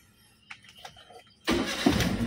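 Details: 2010 Daihatsu Xenia engine start while checking flickering oil warning light: few faint clicks, then fires at once and runs evenly and strongly; oil light goes out immediately, oil pressure comes up.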